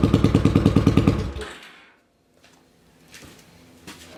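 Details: 800cc lawn pulling tractor engine, first test run in neutral with clutch pushed in, air box and half carb covers fitted; deep regular rumble of about ten firing pulses a second, then cuts out; normal running.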